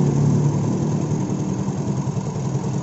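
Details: Yamaha Mio J scooter after fixing a stalling fault, MIL had blinked two fast times, retest after reinstalling and securing parts: small single settles into a steady, even idle without stumbling or cutting out; normal idle after repair.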